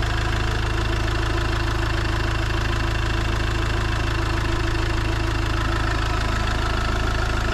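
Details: Iveco Daily van diesel around its engine oil, oil filter and diesel filter change: even, steady diesel clatter at idle, about three beats a second, no misses or odd knocks; normal diesel idle.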